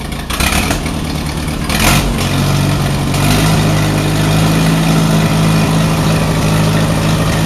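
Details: Allis Chalmers WD45 tractor engine running before a compression test, warming up; runs better with choke pulled. Lumpy, uneven beat with a recurring gap as it revs: misfire, owner thinks cylinder 4 (end nearest radiator) is not firing; cause not confirmed.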